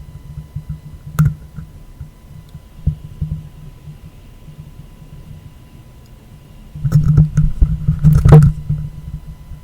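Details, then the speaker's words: Superlux E205U USB microphone, power-supply filtering test with 100 µF capacitor added: steady low buzz with a few sharp pops when the mic is touched; noise from poorly filtered USB power, cleared by a 1000 µF capacitor. "These pops come when I touch the microphone you can still hear them."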